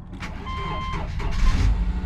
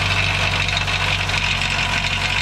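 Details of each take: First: 2008 Subaru Outback, about 180,000 miles, after catalytic converter replacement: cranks and catches quickly, then settles into a steady, even idle with no rattle from underneath and no check engine light; normal start and idle. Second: 2008 Subaru Outback, 180,000 miles, idling after long crank: loose tinny metallic rattle over exhaust note from the catalytic converter; self-tapping screws briefly silenced it, owner pretty sure cat is bad and replaces it.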